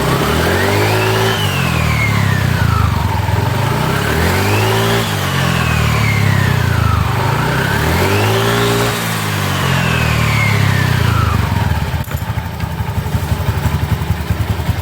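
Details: Automatic scooter after DIY routine service and reassembly, checking the installation: three clean rev-ups that drop smoothly back to a steady idle, with no rattles or misfires; running fine.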